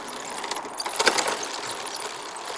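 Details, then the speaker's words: Bicycle while shifting: light metallic chain ticking with sharper clunks as the chain skips cogs, from a misadjusted rear derailleur needing adjustment. "you can hear that that's clicking that's not quite right on the socket so it all needs adjusting"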